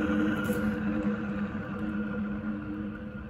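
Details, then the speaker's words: Renault Zoe 40 kWh 5AQ traction motor removed for bearing failure, hand-spun: gritty dry bearing growl with steady tones fading as it slows; no shaft play, just bearing noise. "yeah you can really hear that grally dry bearing noise"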